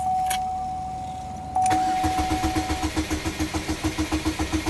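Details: 2007 Chevy Cobalt 2.2 L Ecotec after serpentine belt replacement: chime, then starter cranks about three and a half turns a second without catching, security light flashing; no-start traced to corrupted fuel trim setting, fixed by reset with diagnostic tool.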